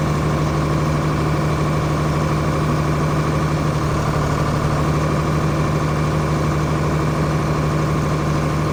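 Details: John Deere 4850 tractor six-cylinder diesel with white smoke and power loss, injector lines cracked one by one at idle: slightly uneven, lumpy beat with no pitch change when number 3 is cracked; dead injector.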